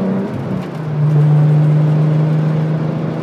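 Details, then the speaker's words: 1993 VW Corrado VR6 pulling hard under throttle while driven, with a very loud aftermarket exhaust that was once very quiet: a deep, loud drone that swells, free-flowing and otherwise running cleanly. "so this exhaust is very loud when i first saw him with the car it was very very quiet and uh now it is very very loud"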